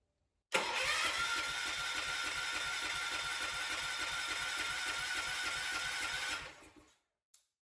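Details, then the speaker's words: Freshly rebuilt 1970s Kohler K341 AQS in a John Deere 300 garden tractor, cranked with no fuel yet to splash oil before first start; even starter crank about 3.5 turns a second for six seconds, no firing; normal dry crank. "i'm going to turn over the engine just a couple times so the oil can splash around inside for the initial startup"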